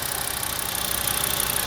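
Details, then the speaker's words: 2007 VW engine idling smoothly after the misfire-causing hose was blocked with a finger; connecting it makes the engine stumble and stall. New plugs and coils had not fixed it, and a faulty breather/PCV valve is blamed. "Pero si la tapamos de nuevo con el dedo, ahí empareja."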